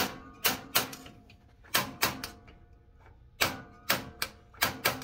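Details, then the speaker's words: Atwood RV stove piezo igniter, after replacing the igniter wires (two burners had not been igniting): crisp, sharp snapping clicks in irregular pairs over a quiet background; normal sparking at the burners. "we can see the sparks are going. Let me get the light off. So we're all going."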